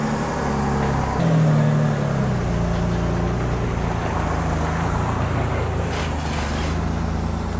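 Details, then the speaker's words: 1997 Mitsubishi 3000GT SL, non-turbo, started after an automatic-to-5-speed manual swap with new clutch: smooth, even idle with a clean rev blip settling back steadily, "now it purrs"; normal healthy running. "All right, let's fire this bad boy up and get it out of here. Now it runs, now it purrs. Sounds good."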